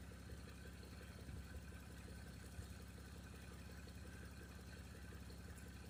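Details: 1989 Toyota Cressida that sat for years, just revived: steady even low idle with a smooth regular pulse, no knocks or misses; brief startup smoke cleared. Normal idle.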